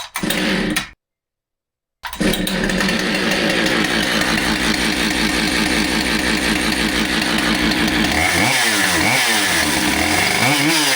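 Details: Husqvarna 572XPG autotune chainsaw that had been run over, after heated-handle repair and new bar: it catches after a brief gap, holds a buzzy, even idle, then takes a few sharp throttle blips cleanly; it runs normally.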